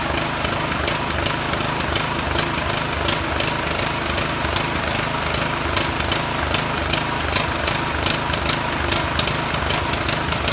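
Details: Poulan riding tractor single-cylinder engine after carburetor cleaning, oil previously spilled into head and exhaust and plug cleaned: uneven slightly hunting beat with rough popping exhaust, smoking from oil in exhaust; runs, smoothness questionable.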